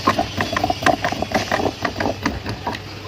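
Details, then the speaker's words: E-bike (easy-bike) motor and controller: unloaded it spins easily, but under load the throttle gives irregular clattering knocks about two a second as the motor jerks and won't run. The controller is faulty. "তো load দেওয়ার পর যদি স্কেলারটা pick up করি তাহলে আমাদের কি signal আসতেছে, এই যে দেখেন মানে ঝাঁকি মারতেছে, চলতেছে না।"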